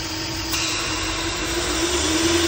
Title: AUDI RS5 In Idle Whistle Sound Coming From inside noise It’s noise coming from PCV VALVE